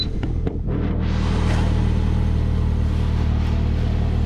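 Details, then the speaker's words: Saab 9-5 Aero with 200k miles at idle after repair: the leaking, cracked center muffler was cut out and the car straight-piped. Deep, steady, even rumble with no ticking, puffing leaks or misses; normal exhaust idle. "all right all right [Music] sounds good i like it a lot"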